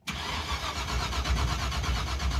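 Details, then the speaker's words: Engine with borrowed ignition box and fire-truck coil: rapid, even cranking with no firing or pickup to idle; no spark, box light blinking, rotor checked fine, distributor pickup suspected. "It's blinking. That's weird, dude. That's got no spark."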